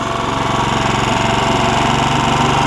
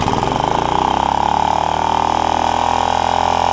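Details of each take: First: Honda HR194 push mower after replacing ignition coil (no spark before): steady, even note at constant speed, no misses or surging; throttle a little lazy from stretched governor spring; normal running. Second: Honda HR194 push mower with a new ignition coil, started on choke with an old, hardened fuel line. It screams at a high, flat pitch with no governor dip, then stumbles and winds down: stuck throttle. The kill wire failed, probably because of the stuck throttle.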